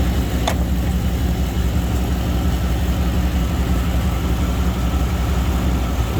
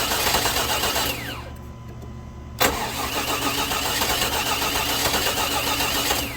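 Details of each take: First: 2000 Chevy Tahoe Limited, Vortec 350; idles smooth and steady with a low, even rumble, no miss, stumble or knock; normal running. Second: 2000 Chevy Tahoe Limited Vortec 350, sat under snow: starter cranks steadily at about four turns a second but the engine never catches, hitting a few times on key release; no-start from a corroded distributor cap.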